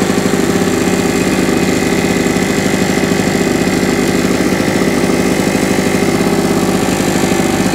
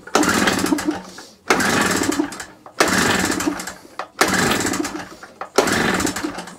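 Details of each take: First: Small generator, single-cylinder, after carburetor clean and new spark plug, started on choke: steady even fast beat, no misfire or surging; running normally. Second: Small generator, carburetor just cleaned, on choke with old plug: five pull-cord attempts, engine coughs but never catches; plug not new and spark weak, causing no-start, plug to be replaced.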